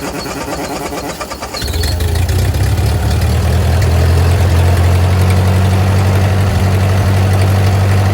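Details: Ford 8N tractor revived after sitting over five years: with choke mostly closed it catches and settles to a fairly even low idle around four beats a second, still a little rough.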